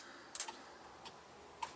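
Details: With a newly fitted on-off-on turn signal toggle switch, something unexplained keeps triggering the relay, heard as a few sharp, isolated clicks at irregular intervals in a quiet room.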